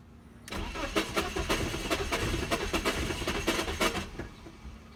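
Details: BMW E46 hard start: uneven cranking about three strokes a second with throttle held, engine catching briefly then dying. Cause suspected, not confirmed.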